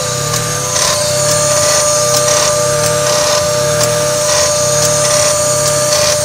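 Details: 1995 Mazda MX-3 at idle: sharp click about once a second, slight rattle, idle dropping sharply and jumping back to about 1,000 rpm with each click; owner suspects the AC, cause unconfirmed.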